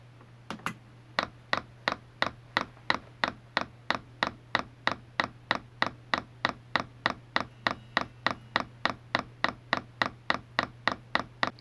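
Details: Chinese all-in-one diesel heater in prime mode, original fuel pump sitting loose inside a new plastic sound-deadening case (not frame-mounted): crisp, even clicks about three a second over a low hum. This is normal fuel pump pulsing, tested for noise dampening.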